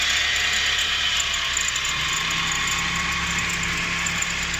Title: 4G13 strange whining sound.